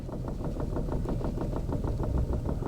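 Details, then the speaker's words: Chevy at salvage auction, sat for months unstarted, fuel tank dead empty; uneven lumpy idle pulsing about six times a second, then stalls, said to have run out of gas. Rough running. "oh she's running a little rough give it a minute guys sometimes this happens when they've been sitting for a while some of these cars sit here for months and months without being started and this one's got no gas in it at all that doesn't help things any oh she's running real rough she's gonna die"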